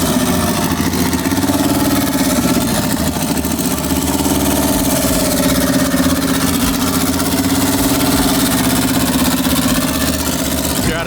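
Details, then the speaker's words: Turbo Honda GSR B-series in an EK Civic hatch, idling after a swap from a faulty P06 ECU to a P28 ECU. Steady idle with a slight pitch waver from a vacuum leak. "p28 is on got a vacuum leak"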